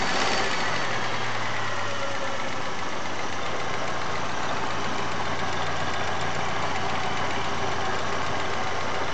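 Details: Chery Amulet engine: uneven knocking about four times a second over a rough, shaking idle. The owner reports knocking on sharp revving and an oil pressure light sometimes at warm idle. Cause unknown.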